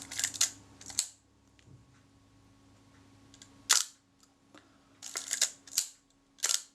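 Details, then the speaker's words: Braun Paxette Reflex Automatic 35mm SLR, shutter serviced and reassembled with return spring and E-clip: about six crisp sharp shutter clicks with clean releases; the shutter fires and resets properly and sounds promising. "think that sounds very promising indeed. I'm pleased with that."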